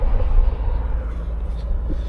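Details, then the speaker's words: Car idling after coolant work with throttle body disconnected: uneven lumpy low rumble, no clean idle; throttle body reset itself, fixed by adaptation relearn with Launch 601 scan tool. "when I disconnected the throttle body and put it all back on it's obviously uh reset itself so I just had to come to adaptations adapt it and that's better now"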